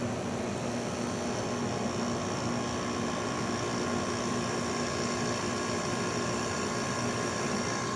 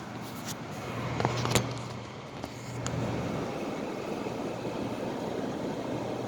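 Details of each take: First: 2009 Haier window air conditioner, cleaned, compressor switched on at default 77 setpoint after not running for a month or more: quiet even hum with faint steady tone, no rattles or knocking; compressor running normally. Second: 2009 Haier window air conditioner, removed from window and cleaned at end of season, plugged in on fan-only low: low steady fan drone with scattered light ticks as the blower flicks tiny leaf pieces that couldn't be cleaned out; debris ticking in fan.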